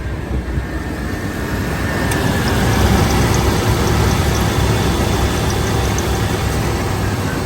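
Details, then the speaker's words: 1989 GMC Jimmy with factory 5.7 (350) V8, automatic, 4WD, A/C recently repaired, idling with the A/C fan running: even, steady low rumble with no ticks, knocks or misses. Runs good and sounds healthy. "Runs good. This is a factory 350."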